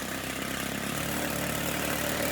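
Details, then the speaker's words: Stihl FS90 trimmer two-stroke buzzing fast and steady at idle, high enough to keep the trimmer head spinning; idle speed set too high, idle adjustment screw turned counterclockwise until the head stops. "you see right now it's spinning you don't want it to be spinning when it's at an idle so you just decrease it a little bit until that head stops spinning"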